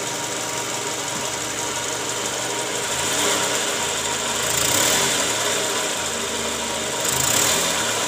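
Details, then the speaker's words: Toyota Camry 2JZ engine after replacing the balancer shaft and balancer bearings: a steady, even idle with a bright hiss and faint ticking, no deep knock, and much smoother than before. The bearings had likely worn from under-torqued balancer bolts. "Jadi sekarang suara mesinnya jauh lebih halus ya dibanding awal sebelum kita ganti balancer shaft dan juga metal ya"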